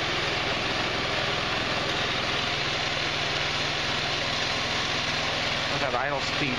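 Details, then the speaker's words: GY6 150cc retro scooter (Verano 150 type) on its center stand after a valve adjustment: a steady, smooth buzzing single-cylinder idle with no top-end tapping. The idle works out right and the valves sound healthy. Normal idle. "oh I messed with it a whole lot rear wheel just a little bit worked out right on the idol sounds like it's running pretty"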